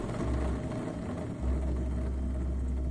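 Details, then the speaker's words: Skid steer idler wheel bearing spun by hand during a restoration gives a smooth, even whir with no grinding or roughness, so it sounds healthy. "that one right there doesn't sound bad healthy that one sounds pretty good no one sounds okay and that one sounds okay"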